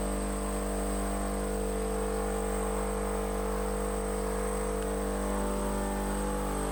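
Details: DIY air compressor converted to vacuum pump, with 12 V DPDT relays and a vacuum switch cutting out near 25 inHg: steady, even hum of constant pitch, no knocks or rattles while pumping down; normal running.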